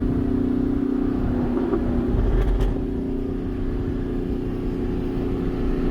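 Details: Dodge engine under hard acceleration with a steady high whine riding over the exhaust note, likely supercharger whine though a fault can't be ruled out.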